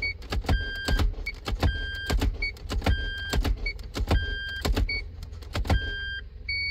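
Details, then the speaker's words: Toyota MMT (Aisin semi-automatic gearbox, P0810) clutch actuator after clutch replacement and grinding of the bush, real-time test: short motor whirs with soft clunks about once a second between chimes; clutch pulls very easily, actuator working normally. "how much too easy pulling the clutch very easy and in this the clutch actuator will work in very good"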